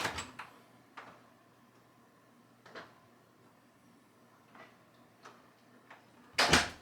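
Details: Bathroom door hinge after cleaning out dirt and steel shavings and greasing the pin with petroleum jelly: the door swings and latches with only soft clicks and a thud, no squeak left.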